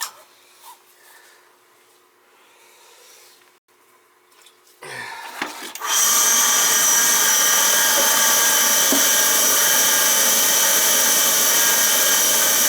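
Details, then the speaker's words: Oil burner on a no-heat call, after the oil line was reconnected and the motor lubricated: light click, then a steady roaring rush as the burner ignites and holds an even flame; normal firing. "so used to we have ignition sounds good"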